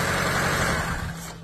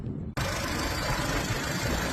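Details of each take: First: 2005 Seat Ibiza, cranks but no start, engine ECU relay not switched on: steady running engine abruptly loses power and winds down within a second when jumper power to broken black-purple ECU feed wire is removed. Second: 2005 Seat Ibiza after repairing corroded, broken black-white wire feeding the engine control relay, which caused crank no-start: engine catches straight away and settles into a steady, even idle with no stumbling or knocking.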